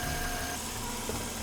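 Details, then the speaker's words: 2010 Mercedes-Benz S-Class W221 non-facelift V6 at idle: a faint thin whine rides over the steady idle, from the belt-driven accessories; suspected water pump, AC compressor, tensioner pulley or alternator pulley, not confirmed. "mesin ini Seharusnya halus banget karena ini mesin V6, tapi entah kenapa ada bunyi aneh yang aku dengarkan dari mobil ini Coba kalian dengerin....."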